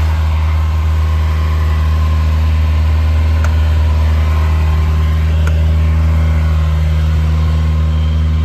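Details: 1980 Ferrari 308 GTSi, cold start after sitting outside, being recommissioned: smooth low drone held at a raised speed with no knocks or misses. The idle went into the mid-to-upper teens, then returned; a normal cold fast idle.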